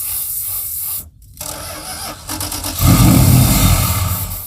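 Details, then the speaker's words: Circa-1975 Dodge pickup 360 V8, long-abandoned: steady starter cranking about three and a half beats a second with no firing. The mechanical fuel pump isn't picking up or squirting fuel, judged no good. "by now it would have squirted if it was going to squirt yeah that pump is J no good"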